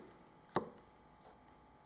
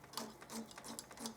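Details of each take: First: Harley-Davidson after a handlebar grip change, with the switch gear refitted: a single sharp click, then a faint tick, in a quiet room; the brake light switch is working. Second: Harley-Davidson throttle cable pretensioner being collapsed during a handlebar grip change: short squeaky creaks about every third of a second as the adjuster turns; running dry, needs lubrication.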